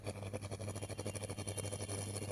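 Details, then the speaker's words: Electric hot water bag heating after water refilled with a little salt: fast steady crackling pulses over low mains hum, with visible sparks; normal, no problem. "हैं कि इससे चटकने जैसी आवाज आ रही है। जैसा कि आप देख सकते हैं, इसमें चिंगारी निकल रही है। लेकिन इसमें कोई समस्या नहीं है।"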